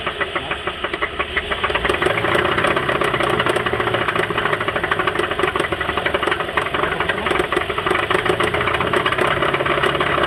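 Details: 2011 Buick Enclave 3.6 V6 with a rapid, uneven engine knock, louder when revved, settling to a ticking idle; it began after the front passenger wheel briefly stopped and skidded while driving, and it worsened over 5 blocks.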